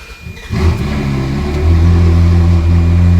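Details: Ferrari 360, first cold start after a Gruppe M air box install, recorded on an iPhone: quick crank, then the engine catches at once and settles into a loud, deep, even idle with no misses or knocks.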